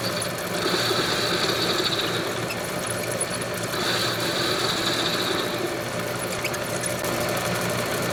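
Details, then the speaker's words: Homemade lathe with new headstock bearings and spindle, turning round stock at normal speed: steady even spindle hum with faint high ring from the cut, no rumble or grinding; finish much improved. "Alright, so here it is at normal speed now that I cleaned it all up. Little bit of ringing with that."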